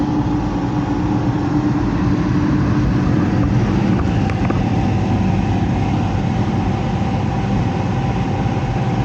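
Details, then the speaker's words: Heat pump with electric heat, top panel removed: heavy uneven rumble with a steady hum and rough churn; the blower fan wheel is damaged and cannot be removed without ripping the whole unit apart. "fan wheel is all jacked up and even if I had to replace a fan wheel I couldn't get it off there without ripping the whole thing apart"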